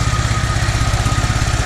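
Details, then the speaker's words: Toro 2CV ticking over: steady, even low thumping with no misses or knocks; smooth idle, though it still dies when the throttle opens (flat spot; owner suspects the primary choke). "So there you go. But doesn't she sound smooth?"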